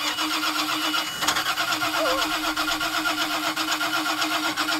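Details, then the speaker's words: 2000 Mariah boat with a 7.4 L (454 ci) MPI MerCruiser that hydrolocked after overheating to about 250°F: the starter cranks steadily with uneven rhythm and a single sharp pop, but the engine never catches. Crank, no start after hydrolock. "And a couple days later, the boat turns over fine, but it won't run. It just pops every once in a while."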